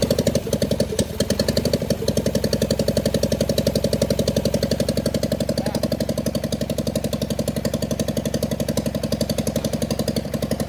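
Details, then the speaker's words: John Deere 400 tractor, Kohler K532 twin, parts tractor not run in about a decade, bad governor (points plunger didn't move), makeshift fuel supply, full choke: strong regular thumping about four beats a second, even and steady, no stumbles, no smoke; runs normally. "okay it runs no uh no smoke"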